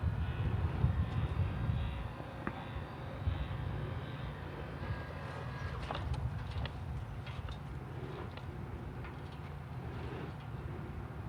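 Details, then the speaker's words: Chamberlain LiftMaster LA400 gate operator after repair with new motor kit and control board, running on the single button after limits saved; smooth even low motor drone through travel, no knocks or grinding: normal gate operator run. "now you should be able to push your single button down here and the gate should function as normal"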